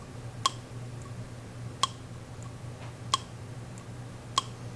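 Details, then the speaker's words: BMW X5 DMTL system purge valve removed and bench-tested with 9-volt battery and momentary switch: crisp single clicks about every 1.3 seconds over a quiet hum, valve opening and closing cleanly; valve holds air closed, not the fault. "this is a nine volt battery with a momentary switch and a connector that i cut off a junkyard car and we can even hear the valve opening and closing with this little test rig"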